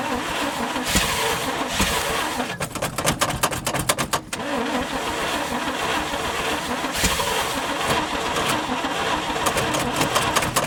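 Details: 1971 International 1890 plow truck, off the road since 2001, after carb rebuild with float bowls filled: starter cranks in quick even bursts without firing; not yet pulling fuel, possibly flooded.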